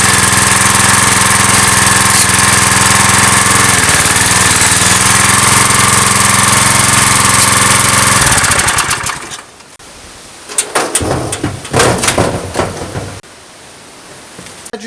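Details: Briggs & Stratton vertical-shaft (lawnmower-type) engine on a generator salvaged from the tip, 40-odd years old: runs smooth and even about eight seconds at a steady pace, then shuts down; healthy.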